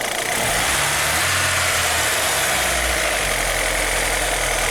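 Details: Zafira 2.0 after water pump replacement that cured a horrible engine noise: steady even idle with no knocks, rattles or rising whine; normal idle.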